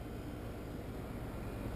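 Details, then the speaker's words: New American Standard Platinum 20 SEER two-compressor heat pump just fired up outdoors: only a soft, low, steady hum and gentle fan rush, no rattles or whine; runs normally, far quieter than the old 12-year-old unit. "believe it or not the system is running it just fired up and much much quieter than that old 12year heat pump"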